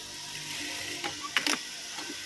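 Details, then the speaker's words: Siruba DL7200-BM1-15 single needle sewing machine at thread-trim stop: sharp clicks and short ratcheting clatter with no clean cutting snap; thread not trimmed because trimming cam timing is wrong. "Cam time wrong ಇದ್ದರೆ thread trim ಆಗಲ್ಲ."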